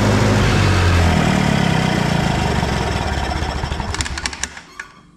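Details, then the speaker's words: Old SA-200 welder engine after freeing three stuck valves, no coolant yet, burning off PB Blaster; steady even firing beat, no knock or miss, then winds down and stops; sounds pretty good. "as you can see we're burning off all that PB Blaster whatnot was in there but sounds pretty good"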